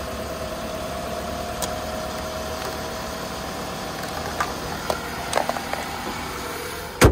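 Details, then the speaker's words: Saab (possibly a 9-series), five-speed manual with 195,000 miles, jump-started at an auction: low, even idle hum with no knocks or ticks and a few clicks near the end; sounds fine, though a suspected valve cover gasket leak is noted. "start it up not a bad sound 195 000 miles on it cut that off"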